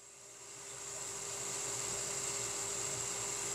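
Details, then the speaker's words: Centrifugal surface water pump running normally at nominal amperage, about 1.5 on the pressure gauge: steady high-pitched hiss of rushing water over a constant mid hum that builds and holds level, within its operating curve. "the sound of the pump alone will tell us that it is working within its operating curve."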